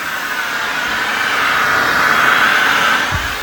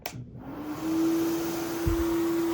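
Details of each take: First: AirVac AV3500 central vacuum, about 23 years old, on bare floor after being unclogged: strong steady rushing air with a faint whistle, no choking or surging. Normal suction airflow. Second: 23-year-old AirVac AV3500 central vacuum: motor spins up with a steady, piercing squeal over the air rush from a worn motor bearing, which goes away on its own after a while.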